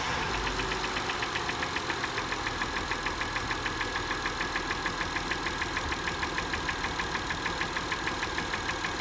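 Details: 2005 Acura TL at 172,300 miles, petrol engine idling: a sharp, regular knock of about three beats a second.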